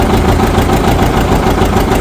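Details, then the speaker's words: 1959 John Deere 730 two-cylinder tractor, started after sitting outside about a year and a half, lots of oil pressure: slow, even putt at idle with a steady beat and no knocks or misses; runs pretty good, normal idle. "That's nice to hear it running. Well, that runs pretty good. That sounds real nice."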